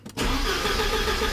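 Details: 1986 Porsche 944 Turbo (951), sat over a year after cutting out while driving: starter spins the engine steadily with no firing at all; cranks but won't start, gauge on fuel rail shows zero fuel pressure; fuel pump or circuitry suspected.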